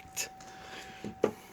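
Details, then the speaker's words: 1991 Chevy Caprice with LS swap, rewired with the computer removed; fuel tank sits on the ground. On key-on the fuel pump kicks on with a thin, steady, loud high whistle, sounding strong and correct. "If you didn't hear it, the fuel pump did just kick on. See if you can listen. You hear that loud whistle? So that means that is correct."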